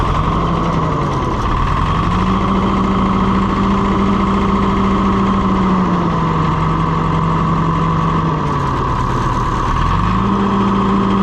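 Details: Allis Chalmers 175 diesel tractor after reassembly and bleeding the injection pump: steady diesel clatter, revs easing up and down slightly, firing even and smooth; normal healthy running.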